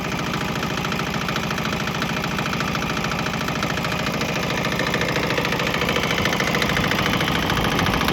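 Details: Swan X 165F Chinese single-cylinder diesel on 50-50 used motor oil and diesel: rapid even chug swelling slightly near the end, no misses or knocks, earlier bucking and stumbling cleared; normal running.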